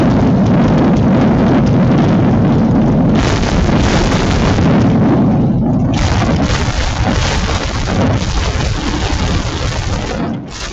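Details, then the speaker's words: Demonstration V8 with open exhaust, throttle linkage pushed by hand: deafening crackling roar with heavy low thump rising and falling, room vibrating; healthy running. "what you're hearing is exploding gasoline in the air and if you were standing here and I and I don't know what it sounds like when you're watching this on YouTube but it's really loud this whole room is vibrating"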